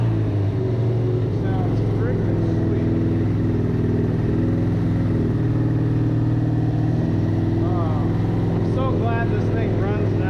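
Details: 1994 Suzuki RF900 with replacement engine after the original blew, first start, warmed up a little: engine holds a steady, even beat with no stumbling or cutting out; running healthy.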